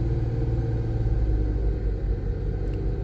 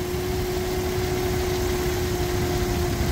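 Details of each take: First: 2001 Nissan R50 Pathfinder 5-speed 4x4 after replacing the alternator with a used OEM unit: steady, even low rumble held at 2000 rpm during an alternator test, no knocks, whine or squeal; engine normal, alternator charging properly. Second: 2001 Nissan R50 Pathfinder 5-speed 4x4 at idle before repair, alternator still charging: steady high whine well above the idle rumble, constant pitch, coming from the alternator down low; worn alternator bearing, replaced with a used OEM unit.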